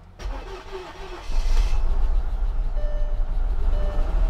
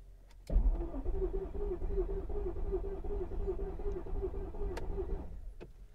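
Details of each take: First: Salvage-auction Mercedes S55 AMG after a new fuel pump and fuel filter, with a boosted jumper battery: quiet, then the engine catches and runs up to a strong, steady low rumble, starting cleanly; normal engine start. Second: Mercedes S55 AMG cranking after a new fuel pump and fuel filter, with a jumper battery for extra power; the starter churns steadily for about five seconds but the engine never fires and the fuel pump may not be running, a crank with no start.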